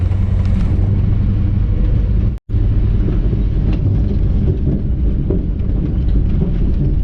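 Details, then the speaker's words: 1959 Chevy El Camino, first drive after 29 years off the road, pulling under throttle mainly in second gear. Deep rumble with occasional sharp cracks and pops and grinding, suspected from the driveline. "You know how that sounds like the drive one. Is it rubbing on something? It's mainly when I'm in second gear."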